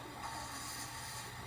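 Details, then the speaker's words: Bedroom ceiling fan after WD-40 sprayed on the motor at top and bottom: soft steady whirr, much quieter than before, faint rattle possibly from the light shroud vibrating. "it's only making a tiny bit of noise nothing like it was before so it worked that much quieter"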